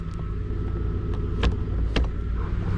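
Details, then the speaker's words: 1999 Infiniti Q45 (VH41DE), 190,000+ miles, idling in drive and reverse after throttle body cleaning: steady even low rumble with a couple of stray clicks, no shaking, tugging or stumble; rough idle fixed. "already put her in drive and reverse and she's not shaking anymore my rpms are back to normal"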